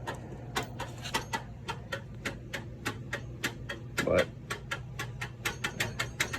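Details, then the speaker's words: Harbor Freight US General tool box top drawer, 56-inch box: sharp metallic clacks, about four a second, as the drawer is worked on sloppy, loose slide rails. The planned fix is riveting the slides firmly to the drawer. "can hear how sloppy they are i'm sure you can see the movement in them"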